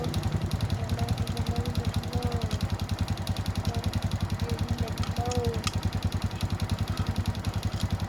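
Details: Honda Wave S 110 motorcycle engine at idle: sharp, hollow metallic knocking about two and a half per second over the idle; piston slap, piston replaced.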